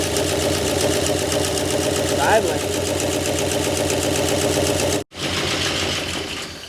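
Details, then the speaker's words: 1968 Oldsmobile Delmont 88, reportedly 62,000 original miles, parked 36 years, first run after revival: uneven, lumpy idle with irregular beat and ragged exhaust; owners suspect crossed plug wires, cause unconfirmed; timing chain work planned. "Yeah, it's idling. >> Yeah. Let's Let's go back over them wires real quick and make sure we didn't crank a couple of them around."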